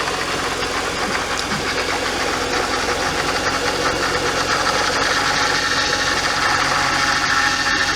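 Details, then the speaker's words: BMW E46 Touring with freshly built and swapped S54 engine, first start during break-in: busy steady idle with a rough irregular clatter about 160 per minute and a hiss on top; a pump is running noisily, something dripping, cause unconfirmed. "Noisy pump. Something's dripping or did drip but stopped."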